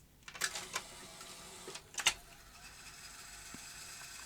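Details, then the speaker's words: Philips N1702 VCR-LP video recorder after reassembling the cassette spools: a few clicks as it engages, then a steady even high whir of tape spooling, no scraping or chatter. Normal rewind; fast forward was weaker, possibly sticky tape. "okay that's rewind that's going well"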